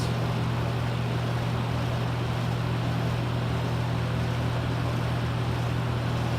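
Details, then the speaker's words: Lakewood T12 twin box fan with a replaced switch, running on high speed: steady low hum with a rough, uneven buzz. A noticeable vibration, not the quietest fan, cause unclear. "Not the quietest fan. That sounds as vibrations."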